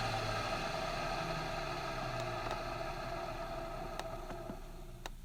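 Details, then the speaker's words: Epic vacuum switched on and off: a steady high motor whine with a rough, gravelly edge as it spins down. Worn motor bearings have been noisy for years; the owner won't replace the motor until it starts screaming. "Yeah, the bearings are really starting to make some noise when you turn it on and off. It's been doing that for years, though, and I just haven't had the chance to get a new motor for it."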